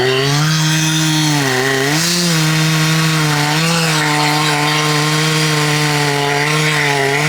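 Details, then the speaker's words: Husqvarna 266XP rebuilt from mostly NOS OEM parts, crank bearings not replaced, at high idle: steady buzzing drone that wavers and dips; owner suspects worn bottom-end bearings, unconfirmed; rough running at high idle. "WELL, I DON'T KNOW WHAT IT SOUNDS LIKE TO YOU GUYS, BUT it sounds like it might need bearings on the bottom end."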